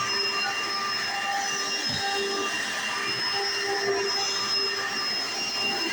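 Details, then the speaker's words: 1995 Hoover Encore Supreme U4261-930 upright vacuum, lightly used then stored: steady high-pitched motor whine with even airflow rush, no rattles or surging; one part is loud at switch-on but said to be minor; normal running. "and it looks great sounds perfect and another one thing is this one this part right here makes a very loud noise when you turn it on but it's not nothing too big"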